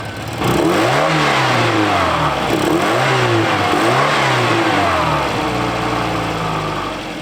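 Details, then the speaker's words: 1984 Volvo 240, first start after sitting for decades, ignition reconnected: revs up and settles repeatedly, pitch rising and falling cleanly with no knocks or misses; normal running and revving. "you guys got to hear this thing running just purring like a kitten I can't believe it with the exception of the rig this thing runs better than any other vehicle I currently own"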